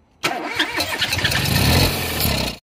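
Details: Ford 1.0 EcoBoost after timing belt replacement done without timing tool: short crank catches quickly and settles into a steady, even run with no rattle or clatter; engine starts cleanly.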